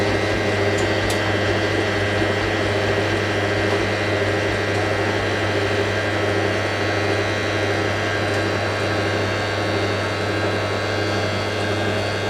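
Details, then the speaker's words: Hotpoint 9530 Electronic 1000 Plus washer, twin bedding load, after repair of burnt mains-lead neutral wire, final spin: even steady motor whine, light hum, no thumping or banging; smooth balanced spin. "All we've been waiting for, the final spin. Beats me nice and smooth. Good. That's perfect smooth."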